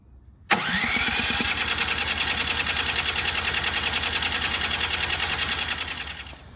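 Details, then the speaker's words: Ariens 920021 snowblower at the first start of the season after the carburetor was opened and drained: even cranking about three and a half pulses a second for six seconds with no firing. It won't start, and the owner suspects last year's stale gasoline. "So it won't start up again. What I think my problem is I'm using last year's gasoline."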